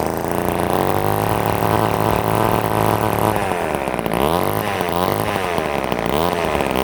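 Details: Old Ohlsson & Rice chainsaw, sat 20+ years, after blowing out a plugged fuel tank air vent restored fuel feed: fires and holds a buzzing idle, then revs up and down cleanly with good throttle response; running properly now.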